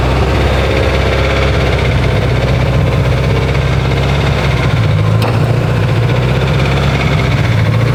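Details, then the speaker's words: Freshly built Subaru STI engine after 80 miles, held at steady revs: hard fast knock in the running noise, tracking engine speed; owner calls it rod knock, unconfirmed. "that is so loud damn rod knocks this motor lasted 80 miles and just decided to rod knock on me"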